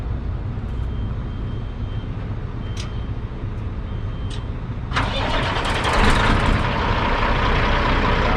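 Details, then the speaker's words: Rebuilt Caterpillar 3406 diesel in a Kenworth W900 day cab with 10-inch stacks, whole truck rebuilt within the last year, starting: engine catches near five seconds and settles into a deep, even rumble with no knocks or misses; normal start and idle. "Oh, you can climb in and fire it up if you want to. See how this thing rumbles."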